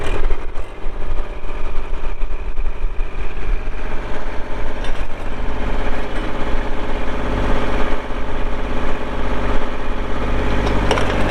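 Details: 2024 Kubota L2501 compact diesel tractor with loader, backhoe, hydrostatic drive and 35 hours. The diesel catches quickly and settles into an even, low idle with a steady rhythm and no knocks or misses; a normal start and idle.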